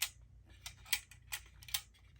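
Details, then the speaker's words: Brand-new Titan Rig radiator, straight out of the box, tilted by hand: sharp, irregular ticks and clicks from a small loose piece rattling inside the core, not from the fins. "but the biggest concern really is there sounds like something's loose in it I'm sure you can hear that on video"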